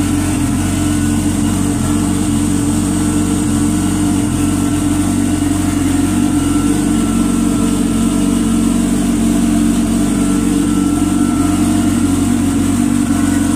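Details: GPSHO competition turbo personal watercraft, start and idle after a test session following its rebuild and updates. A steady, even drone holding constant speed, with no knocks, misses or rattles; smooth and healthy.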